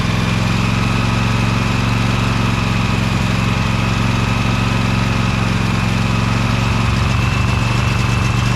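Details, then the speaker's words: Loud, steady, even low thrumming from a Briggs & Stratton Vanguard 23 HP V-twin on a Little Wonder hedge trimmer, still on choke, after primer bulb replacement and carburetor clean; idle holds smooth and settled, running well. "that's idle that sound good it's still on choke"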